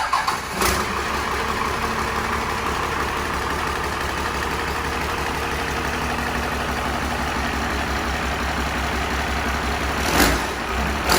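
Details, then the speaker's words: Cummins diesel engine for a swap into a 1965 Chevrolet C10, run on its own before mounting. Steady, even clatter with no knocks or misses, though very smoky; sounds like a healthy engine at idle. "Oh my god, it's fucking smoky though. Fucking skull bud. And it sounds good."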